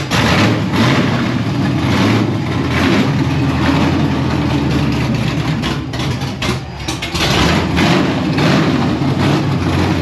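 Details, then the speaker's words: LSX V8 in C1 Chevelle street stock car, cold start, carb without choke: loud, deep rumble surging and sagging, won't hold idle, smokes a little; previously idled once warmed up. "Doesn't want to idle. Smokes a little bit. Doesn't want to idle, but sounds good."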